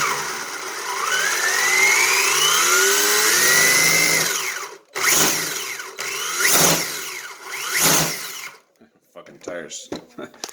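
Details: Homemade RC rally car running two 5800 mAh LiPos in parallel, original motor reconnected to the ESC after a crash to test it: motor whines smoothly up in pitch, then a few clean throttle bursts, spinning freely; ESC and motor still good.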